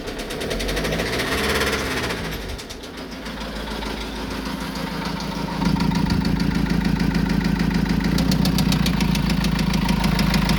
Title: vivaro 1.9 engine knock